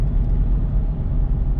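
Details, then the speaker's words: Land Rover LR3 V8, about 150,000 miles, after fixing the code P0308 cylinder 8 misfire, driving under load: a deep, even rumble with no stumble or missed beats. The engine is back to normal. "runs okay actually so i'll say it's all fixed uh indians back to normal"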